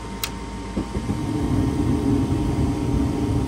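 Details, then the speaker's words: 2007 Heil gas furnace with three burners and a hot surface igniter, startup sequence: draft inducer runs, gas valve clicks, then a soft whoosh as the burners light and settle into a steady low roar with blue flames; normal burner ignition. "so the blower fan motor turns on there's the hot surface igniter see that there's the giraffe and do the vacuum switches closed the igniter turns on you'll hear a click from the gas valve and then it establishes a flame"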